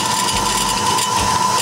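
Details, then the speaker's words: New Ellis 1600 band saw after replacement motor, warmed up, heavy vibration: loud even motor hum with fine metallic buzz like loose metal from the factory; rattle stopped when damped, owner to check screws; metal rattle. "this one sounds worse is that listen to that sounds like there's loose loose metal straight from the factory"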